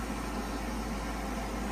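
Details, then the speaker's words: Gas furnace just fitted with a new ignitor after it failed to heat and smelled of gas: soft steady low hum and even airy whoosh with no rattles as the inducer fan spins up before ignition; normal start-up. "so the fans going to go through a little bit and then we're gonna hear the action"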